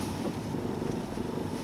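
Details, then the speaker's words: Nissan Leaf, driving at about -30 °C, right shock strut leaking: rough low grinding growl from the suspension, replacing an earlier loud knock that came and went after a car wash; source unconfirmed. "скрежет, что-то вроде " грр", вот так. Там оно рычит."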